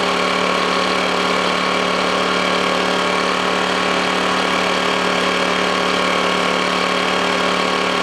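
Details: Honda generator, cold start after sitting unused about three months: steady, even mid-pitched drone holding speed without surging or misfiring; normal idle.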